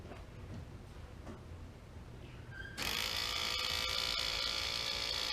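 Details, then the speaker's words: 1991 turbo Mustang, newly installed scavenger pump for low-mount turbo oil return, switched on before starting, after tightening passenger-side oil drain line: steady high buzzing whir with light rapid tick; quieter than expected, runs fine. "Oh, that's not as bad as I thought it would be."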